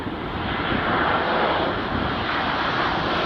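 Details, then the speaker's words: Boeing 787-8 (Air India 171 context): steady rough whirring roar like a small propeller aircraft, attributed to the deployed ram air turbine (RAT). "Dalam video itu terlihat RAT dikerahkan dan suaranya mirip dengan yang terdengar dalam rekaman ini. Suara turbin kecil tersebut memang menyerupai pesawat baling-baling saat mendekati landasan."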